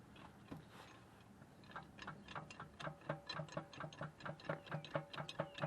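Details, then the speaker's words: Subaru EJ257 turbo from a Legacy GT, engine not running: crank pulley rocked back and forth by hand with a breaker bar gives crisp metallic clunks, about two a second, from the oil pan, confirming a worn rod bearing. "hear that that's coming directly from in the oil pan so i know it's a rod bearing a hundred percent"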